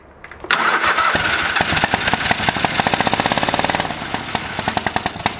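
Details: Old lawn mower, brake cleaner sprayed into carb: fires up abruptly, then pops along unevenly with ragged fading pulses and won't settle; old bad gas, fuel starvation, fuel pump or lines suspected.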